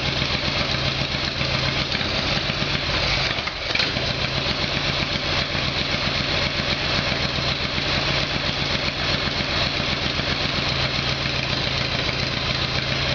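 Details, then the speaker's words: Harley Evolution Sportster V-twin after its carburettor fault was fixed (engine replaced by a previous owner): a cold start on choke settles into a steady loping idle with no misses or backfiring, sounding much better. "you okay what sounds a lot better"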